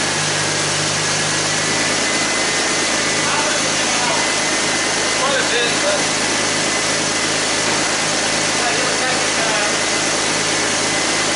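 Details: 2001 Ford Mustang V6 automatic after engine swap, running after a hose change and power steering top-off: smooth, even idle, no ticking or hunting, good oil pressure, no smoking, though temperature gauge never moved; normal idle.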